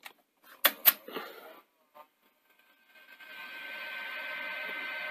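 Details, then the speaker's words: Sony SL-HF100UB Betamax running with no tape after a layup: a few handling clicks, then a steady dry hiss and whir as the head drum spins up; noisy drum bearings, which settled down after about 10 minutes. "there go the bearings. Hopefully they'll quieten down as it beds in."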